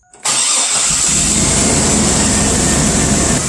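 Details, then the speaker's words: 2001 Chevy Blazer petrol engine with the mass airflow sensor unplugged: smooth, steady idle around 700 rpm. Plugging the MAF back in brings a real rough idle, so the MAF is faulty. "so you can see everything's running smooth it's running about 700 rpms nothing crazy"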